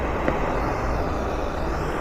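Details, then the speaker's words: Ford Fiesta air conditioning leak heard through an ultrasonic leak detector played over a small speaker, held at the suspect fitting. A steady, rushing hiss of gas squeezing past the gap; refrigerant is leaking there. "and that's the sound of the uh sound of the uh the gas squeezing past the gap and creates an ultrasonic noise"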